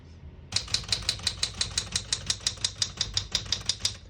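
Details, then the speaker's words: 1973 Smith-Corona Galaxie 12 portable typewriter, single spacing, black ribbon: crisp, even key strikes about three a second, every key typing cleanly with none skipping or sticking; working normally. "you can see, all the keys type nice and none of them skip or stick."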